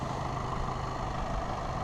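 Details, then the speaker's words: Salvage 2013 Audi A3 after the front end was rebuilt, run up to temperature and driven around: a steady, even low hum at warm idle with no knocks, misses or rattles. The engine idles smoothly and drives nicely. "I've run up to temp, nipped around the estate. It drives really nice."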